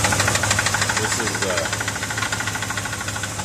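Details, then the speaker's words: 1973 Ford F350 with 390 V8 after new timing chain set, carb fuel leak remaining: sharp, steady knock about three per second keeping time with idle; engine knock, cause unknown. "I am still bummed out about the uh the uh what sounds like a knock in the engine"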